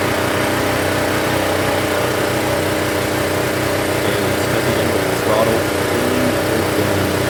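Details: Honda EB1400X generator (107cc, 3HP, 1400 W) after carburetor cleaning and restoration: steady, even drone at constant speed under background music with no misses or surging; running smoothly while warming up.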